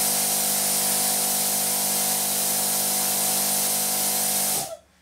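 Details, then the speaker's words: Small piston air compressor built into a plasma cutter, running without cutting and blowing air; even buzzing hum with steady air hiss, then clean shut-off; runs fine and fairly quiet. "look at that double winded piston that's that's that's pretty cool and that's quite quiet too you actually should listen to it guys listen to how quiet it"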